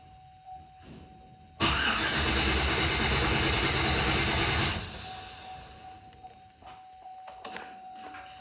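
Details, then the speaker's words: 2007 Chevrolet Silverado right after fuel pump replacement and priming; the starter cranks steadily for about three seconds and stops without the engine catching, so the fuel pump was possibly not the cause; a crank with no start. "Well, I guess it wasn't a fuel pump."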